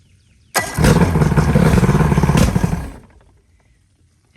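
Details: Johnson/Evinrude outboard on ear muffs with water hooked up, just after new power pack installed to fix no spark on some cylinders: fires on first pull, runs a couple of seconds with quick, fairly even beats, then dies; carbon buildup expected.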